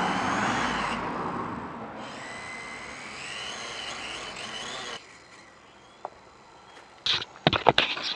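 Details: K70C Sky Warrior quadcopter on test flight just after replacing two oiled propellers: smooth, high-pitched motor whine holds steady for several seconds, then fades with a few light knocks; motors sound healthy, though owner suspects calibration is needed and later found a bad motor.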